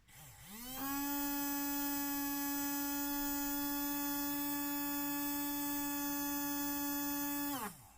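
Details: Small DC toy motor with a ceramic capacitor absorbing back current, rerun for comparison; clean steady whine spins up, holds an even pitch about seven seconds, winds down, unlike the irregular capacitorless motor. Normal DC motor running.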